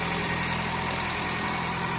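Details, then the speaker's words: JDM car after engine bottom-end rebuild for knock; previously stumbled on low beam and stalled on high beam. Now all four headlights on, smooth even idle with steady hum, no stumble or dip under electrical load; normal idle. "все четыре фары машина не глохнет все прекрасно себя чувствует"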